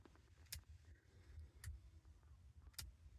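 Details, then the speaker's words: Lucas ignition keyswitch on an early British car, demonstration of correct operation: three sharp isolated clicks as the key turns to ignition on, start, then springs back by itself; normal switch return, unlike the faulty switch that stuck and kept the starter on. "right so it's off at the moment that's the first position ignition on and then if I can do this you see that that's engine starts and the key returns"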